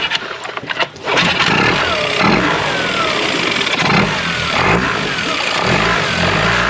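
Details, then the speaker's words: Brand-new dinghy outboard, first start with cowling off after adding engine oil: rough pull, then catches at once and settles into an even, very quiet steady run, slight initial smoke; normal start and run. "well there you go finally got it started the feel finally got through let's see here it's so quiet the cowlings off and it's still so freaking quiet this is amazing"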